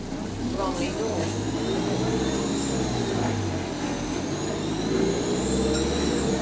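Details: Euro 6 bus on route 367: high jet-like whistle rising and falling with engine speed over the diesel drone, turbo boost leak.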